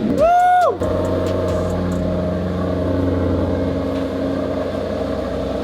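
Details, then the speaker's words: 2009 Maserati GranTurismo S salvage-auction car, cold start on a battery booster with a dead battery: starter whirs, engine catches with a quick rev, settles to a smooth even idle with steady low drone; sounds healthy, though very low on petrol. "listen to that yeah sounds good"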